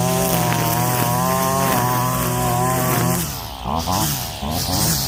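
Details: Husqvarna 322L two-stroke trimmer after carburetor rebuild from long storage, low/high screws 4.5 and 4 turns out: steady high buzz then clean throttle blips rising and falling without sputter; running properly.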